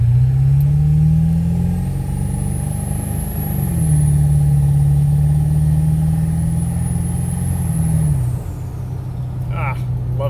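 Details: Ford 7.3 Powerstroke diesel with KC300X turbo, after exhaust manifold leak repair: clear high turbo whistle rises and holds over a deep diesel drone under load, then fades as throttle lifts; turbo much louder, normal.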